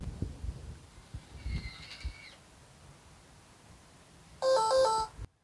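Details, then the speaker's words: Electronic smart deadbolt, bolt blocked by a spacer so it can't extend fully: faint strained motor whine and gears grinding with soft clunks, then a loud multi-note jam alarm. "all right you heard the alarm but did you hear the gears grinding on an electronic lock it's in there and it's twisting and it's trying to go into the door"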